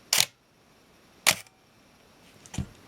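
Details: Minolta X-700 35mm film SLR with 50mm f/1.7 lens, shutter test at 1 full second; crisp click as the shutter opens and a clean second click about a second later, slow speed timing correctly.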